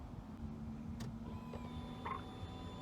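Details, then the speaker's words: Dodge Charger after new fuel pump install with power and fuel-level wires found swapped in pump, key on: quiet, then a faint steady hum starts about a second in and holds evenly; fuel pump now priming normally. "so now i'm going to turn that key on you should hear that pump kick on"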